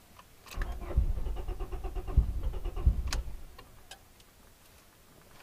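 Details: Turbo Honda Prelude: about three seconds of slow, uneven cranking with no firing before stopping; crank no start traced to the distributor.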